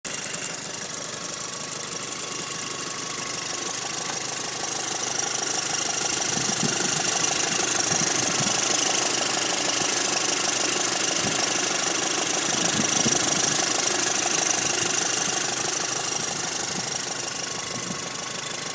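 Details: 2006 VW Golf GTI Mk5 petrol engine at idle: fast, fairly regular light rattle over a bright, thin running sound; strange idle rattle.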